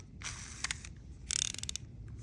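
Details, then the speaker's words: SEASIR M1 135 g metal-frame baitcasting reel, 7.6:1, carbon drag washer, drag tightened, line pulled: loud crisp ratcheting clicks in short even bursts; drag clicker working normally. "That drag clicker's loud. I think this is going to be probably a really good finesse reel, or really good BFS reel."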